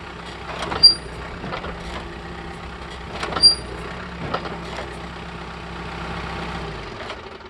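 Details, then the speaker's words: John Deere 4052R tractor with H180 front loader, at idle: two sharp, shrill squeaks as the loader bucket presses down to lift the front end, from metal-on-metal rubbing at the loader. Fix still unknown. "So as you can see, it only happens whenever I'm putting downward pressure on the loader bucket to lift the front end off the ground."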